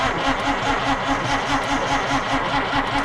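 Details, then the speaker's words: 1950 Dodge Meadowbrook, starter cranking after swapping to a 6-volt battery: lazy, even churn at about two and a half compression beats a second, turning over much slower than before. The ammeter then reads happier, with a strong fuel smell and temperature still low. "Okay, you can hear that it uh didn't spin over nearly as fast."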